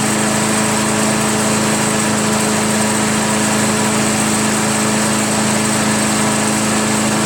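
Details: Craftsman chipper shredder flathead engine, just started after head removal, carbon cleanup and a 320-grit sandpaper valve-seat job (intake valve spun freely), idles with a steady, even buzz and no knocks or misses; normal idle.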